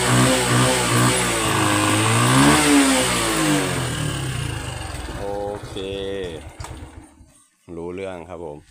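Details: Honda Wave 110i LED (c.2019) after replacing burnt, shorted spark plug cap: picks up cleanly on throttle, climbs and falls smoothly, settles with no misfire. Previous intermittent start and throttle stall fixed; normal revving.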